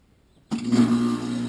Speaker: so that's the existing heat pump as you can hear it's 12 years old loud on fire up and Loud running as well sitting right outside the homeowner's bedroom